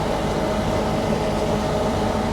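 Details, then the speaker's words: Case 9120 combine harvesting on steep Palouse hills with separator and header engaged, cab door open: steady, even drone with low rumble, no banging or clanging; real quiet after topping up about 5 gallons of hydraulic fluid that morning, owner thinks it was low. "it just low on hydraulic flood I think I don't know why that made all the difference but it did so it's real quiet now"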